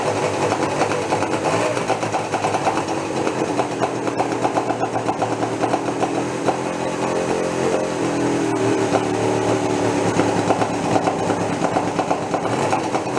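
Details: Homemade twin-engine two-stroke moped built from scrap, first run after sitting over a year: steady buzzy idle with a single engine's beat and no second pulse. Only one of the twin engines is firing; owner thinks the other has no fuel yet.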